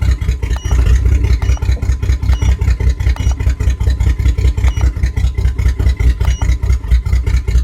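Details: 1997 Jimmy idling unevenly, chugging about 2.5 pulses a second with some beats dropping out, shown with live data. Engine misfire.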